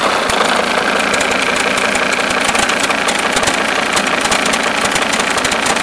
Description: Problem solved. The alternator one-way clutch pulley was broken, and it was making that knocking noise.